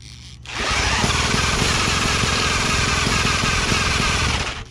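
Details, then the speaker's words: Long-abandoned late-1940s Johnson Seahorse KD15 outboard run out of water, magneto at halfway, choke reduced, more fuel given: catches with a ragged popping run about four seconds, then dies; popping, won't keep running, cause not yet clear. "Still popping. Come on, a little bit more fuel maybe. Give her a bit of a prime."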